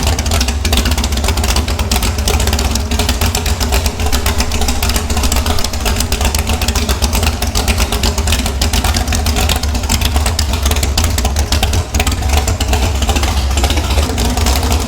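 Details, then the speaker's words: Airboat engine after the boat was wrecked gives a strong deep exhaust drone with fast, even firing pulses and no knocks or misses; sounds good, smells like it's running a little rich. "Sounds good to me. Smells like it's running a little bit rich, but better rich than lean, I guess."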